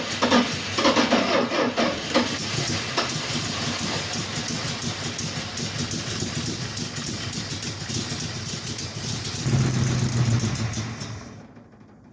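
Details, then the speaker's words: Long-sitting 4x4 Dodge truck (Little Red Express clone), jump box on an 11.8 V battery: the engine catches, runs rough about eleven seconds, then dies. A cut fuel line shows no fuel flow; it possibly needs a fuel pump. "it died I'm going to go ahead and snip that fuel line there and we will put a filter in between this will also tell us if there's actual fuel flow so h no fuel flow so there's a possibility it may need a fuel pump"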